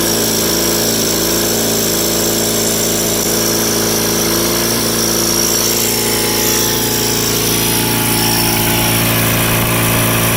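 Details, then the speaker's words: Rare factory-built Cub Cadet garden tractor (one of 83 built), twin engine governed at 3600 rpm wide open: held at top governed speed, steady strong drone, no misses or knocks; running clean and even. "an interesting thing to note about this is that for whatever reason cupcadet governed these engines at uh 3600 rpm wide open whereas john deere government 34.50 so this one does rev a little bit higher than the one in the 318."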